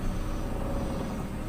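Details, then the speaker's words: Toyota Avanza/Daihatsu Xenia after replacing a faulty ISC (idle speed control) actuator with an aftermarket part to fix unstable rpm: throttle is blipped and the engine picks up and settles cleanly with no surging or hunting; normal response. "jadi ini Hai di bisa dibilang berhasil ya jadi SC nya yang KW aja tapi Hai hasilnya bagus Ya udah coba gas"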